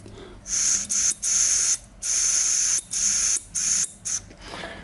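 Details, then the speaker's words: Zenith Stromberg 175CD2SE carburetor on the bench during rebuild, air blown through fuel inlet: short hiss bursts cut off cleanly as float needle closes; needle valve sealing properly. "if you put fuel in here then it will open and then you can close it and then it will shut off"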